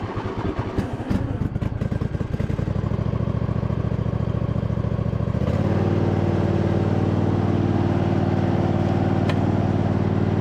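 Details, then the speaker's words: 2007 MTD/White Outdoors 54-inch zero-turn mower, rebuilt deck with new spindle bearings, covers off: engine even, then blades engage with smooth steady hum, no grinding or rumble, super quiet; normal mower deck operation. "all right sweet so far it looks good super quiet with those new bearings in there"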